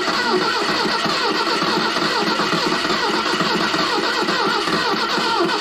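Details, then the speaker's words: 1970 Datsun 521 with its apparently original L16 engine, not run for years, fitted with a new Weber carb, electronic distributor and 3-ohm coil. Steady starter cranking that never fires; it's getting no gas and dirt comes out of the tank. Crank, no start, no fuel. "stop stop stop it's there yeah it's got no gas"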